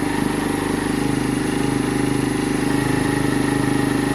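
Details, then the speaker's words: Keeway/Benelli 125cc single after carburettor clean, warming up a few minutes before idle adjustment and oil change; quick, even putter at steady idle, no misfires or rattles, normal warm-up idle. "we'll let it warm up there you go we'll give it a minute to warm up and then we'll adjust the idle properly and we're also warming up the oil because we're going to drop the oil"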